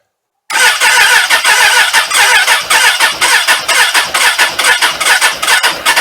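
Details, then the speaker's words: Suzuki Katana motorcycle, cold after sitting all winter, carbs primed, full choke, on a Ballistic battery; engine catches into a quick, high-pitched pulse, ragged at first then fairly even; normal cold start. "so it sounds like the bike's trying to start here it's probably um you know just trying to get some oil up into the top of that engine"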